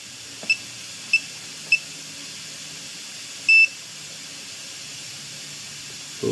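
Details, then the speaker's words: 2008 Ford Focus during a tune-up and valve cover gasket job; the handheld battery tester gives three short high beeps and one longer tone, and the battery tests bad. "battery's testing out [Music] bad"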